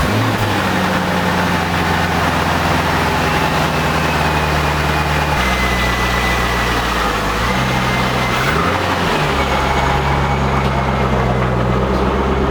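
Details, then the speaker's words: C5 Corvette after replacing the harmonic balancer and front subframe: a deep even V8 idle with clean blips that rise and settle smoothly; the new balancer runs dead straight with no wobble and no dash warning lights. "and man i tell you that thing is dead straight when the car is running you can't even tell the car is running that's how still it is"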